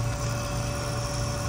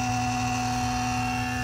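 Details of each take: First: BMW M5/M6/X5M S63TU/S63R, new auxiliary electric water pump after replacement, running during coolant bleeding: a quiet, even hum with no grinding or bearing rumble. The old pump was loud because its bearings were shot. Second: BMW M5/M6/X5M S63TU/S63R, original auxiliary water pump running during coolant top-off before replacement: a steady electric whirr turns into a loud warbling drone pulsing about twice a second. Owner suspected a faulty pump.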